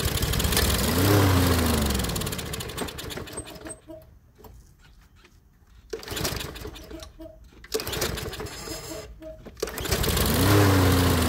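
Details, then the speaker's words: Toro Recycler lawnmower that would not start, after repair and refilling a fuel system that had been run completely empty: rope pulls in bursts with brief sputters, then the engine catches and keeps running, puffing a little white smoke from disuse. "no quiere no quiere pero ahí va señal de que ya arrancó"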